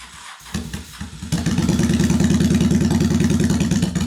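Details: 2001 Honda Shadow VT750 after carburetor service, airbox still off: it cranks, catches and settles into a steady, even V-twin idle with both cylinders firing; the front cylinder is judged to run slightly richer. Normal running.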